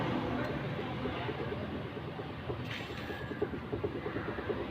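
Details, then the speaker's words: Maruti Suzuki Alto steering rack: light, sharp clicks about three a second as the wheel is rocked back and forth, caused by a loose plastic steering damper bolt; it also knocks over potholes, and tightening the damper is the planned fix. "ഭാഗത്ത് നമുക്ക് ആ ക്ലിക്കെന്നുള്ള sound നമുക്ക് കിട്ടുന്നുണ്ട്."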